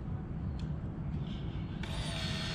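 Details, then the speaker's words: 2021 Chevrolet Beat/Spark that would not start or lost power from a failing fuel pump; pump primed with ignition on, gauge at almost 58–60 pressure; steady electric whine over low hum, strong flow: normal fuel pump operation. "vean el flujo de la bomba casi 58 casi 60 si se dan cuenta sale con más presión y hasta se escucha"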